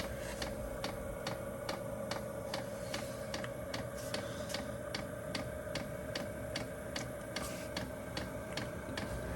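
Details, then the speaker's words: HCALORY HC-A01 diesel heater, first start, dosing pump priming fuel up the line with air bubbles working out: steady ticking about 2.5 per second over soft fan hum; normal priming. "And as you can see right here, the fuel is coming up the line. It's definitely priming right now."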